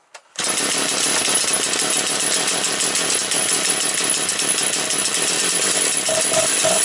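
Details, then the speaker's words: Motor Sich 475 with a misbehaving carburetor: a sharp, buzzy two-stroke note held fast and steady after a cold start on half choke, idle screw turned up slightly; the owner suspects the idle may now be set too high. "Пішла я думаю треба холостого ходу добавити трішки"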